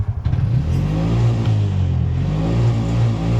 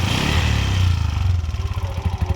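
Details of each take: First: 2023 Bajaj BS6 auto after repair, scanner showing no faults: steady low throb that swells and eases with the throttle, with no misses or rattles. Normal running. The problem was solved by fitting an old spare coupler and cleaning the body. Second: 2023 Bajaj BS6 auto, no check light, scanner finds nothing, wiring checked fine: idle revs sit high, then sag within seconds into slower, uneven thumps. Hunting idle because someone tampered with the idle adjustment screw.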